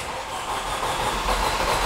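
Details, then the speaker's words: 2005 Mercedes CLK with M271 engine, low coolant warning, many parts already replaced: steady starter cranking that nearly catches but never fires; crank no start, camshaft sensor fault code believed reported by another shop. "almost well i guess that's customer complaint confirmed this car is a crank no start"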